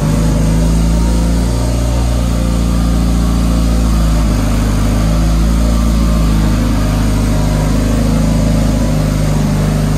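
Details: Dodge Caliber SRT4 just after Precision 6266 turbo install with coated manifold and new gasket, first start, idling to warm up: steady even idle, constant low drone, no ticking or puffing; runs fine, new tune still needed.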